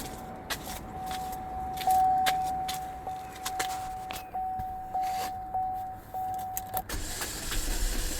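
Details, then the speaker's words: Neglected vehicle, unknown mileage, cranked on a booster pack: starter spins fast and even with steady whine, no compression pulses; zero compression, owner suspects a broken timing chain. "It's got zero compression. Let me try to. Yeah. She's done. She's done."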